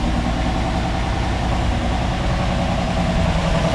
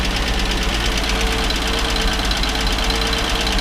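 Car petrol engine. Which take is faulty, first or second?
first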